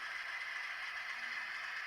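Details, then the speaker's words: Broadway Limited Imports N-scale SW7 locomotive after greasing, previously grinding; soft, even high-pitched motor whir with smooth light hiss, grinding all but stopped; running much better, normal running. "Now, okay, so now having greased the locomotive, you'll notice that that terrible grinding noise has all but stopped."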